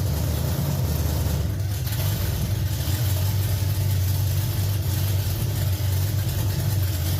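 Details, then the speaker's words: Budget dirt late model race car V8 on first start after two to three years, on a two-barrel carb with no throttle spring, a little smoky. A deep, lumpy, steady burble with a throttle blip: normal idle. "well she runs SMY it is a little smoky in here but she did run on the two barrel"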